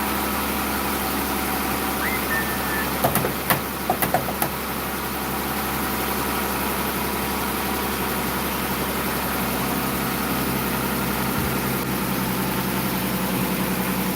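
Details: Dodge Durango after water pump replacement, idling to warm up: steady smooth idle hum with brief handling clatters early; no knocks or squeals, engine idles normally.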